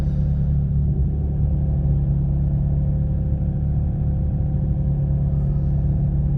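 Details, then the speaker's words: 2004 Vauxhall Corsa C petrol engine misfiring after an engine-bay jet wash and degrease; owner attributes it to the engine getting wet. Deep, slightly uneven rumble while driving. "Corsa's misfiring at the moment because it's got wet."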